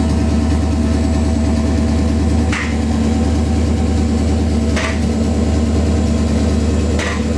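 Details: Engine after replacing spark plugs, ignition wires and coils, cleaning the MAF and replacing leaking cat-back exhaust gaskets; smooth, even idle with steady low hum, no misfire stumble or exhaust ticking; normal idle.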